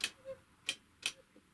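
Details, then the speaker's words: Typical GC 2605 industrial cylinder-bed triple-feed sewing machine that turns stiffly and was never lubricated: sharp ticks as it is turned slowly, with a short high squeak from a dry part found during lubrication. "какой идет ну это вот идет отсюда скрип"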